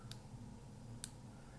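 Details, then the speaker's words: Kodak half-frame camera whose flash stopped working, opened up and powered on: two sharp dry clicks about a second apart as the circuit discharges with visible sparks but the tube doesn't fire; owner suspects a damaged flash tube. "Right, it's trying to discharge, but the flash isn't working. So there's the problem. The flash itself, the tube, is damaged, I think."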